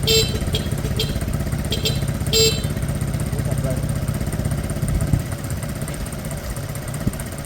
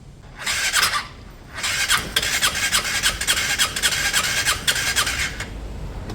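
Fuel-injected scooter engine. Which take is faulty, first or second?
second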